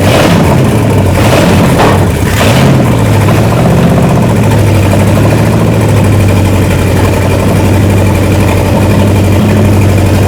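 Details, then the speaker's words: Scrapyard 1968 Dodge 318 V8 for a 1969 Charger, freshly overhauled after being seized 20 years, running on open manifolds: very loud, deep burble catching and settling to a steady, even idle with throttle blips, running cleanly. "That was awesome. We might have uh I don't know if the audio would even pick up on that. It was so loud."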